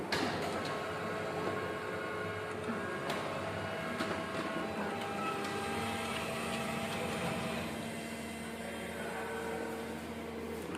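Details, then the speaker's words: Canon iR 2006N copier after a paper jam was fixed by pressing the small gear inside the rear clutch with a screwdriver. It now shows "copy" and a test copy is made. Even motor whir with soft regular roller clicking, no grinding. It feeds cleanly. "ಇವಾಗ ನೋಡಿ, copy ಅಂತ ಬಂದಿದೆ. ನಾನು ಒಂದು ಸ್ವಲ್ಪ xerox ಕೊಡ್ತೀನಿ."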